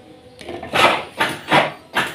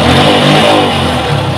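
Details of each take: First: Yamaha Vixion Advance motorcycle, engine run briefly: harsh metallic clatter in bursts with throttle blips, then a steady rattle; mechanic judges the cam chain is faulty, likely a slack chain from a failed tensioner. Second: Yamaha Vixion Advance after repair of a rattling, clattering engine noise, radiator and coolant reinstalled: a short, clean throttle blip rising and falling evenly with no rattle or clatter; normal running.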